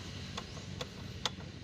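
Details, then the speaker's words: Kia Rio with a noisy air-conditioning compressor and no cooling, engine running: sharp light ticks about every 0.4 seconds over a low hum. Rattle from a cracked or torn compressor clutch damper; refrigerant seepage was also found at the valves. "ayan naririnig yung ingay so yan yung ingay ng damper yan"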